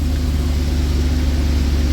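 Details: 2016 Isuzu NPR box truck diesel after starter replacement: steady, even low rumble with no knocks, misses or grinding; engine starts and settles into a smooth, healthy idle.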